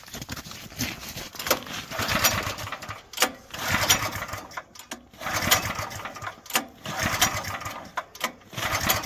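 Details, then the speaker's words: Portable generator during power outage, pull-cord start attempts after fuel turned on and a squirt of fuel added: repeated pulls every two seconds, engine spins but doesn't catch; fuel not reaching carburetor. "We should have started way before that, so I didn't get it in the carburetor."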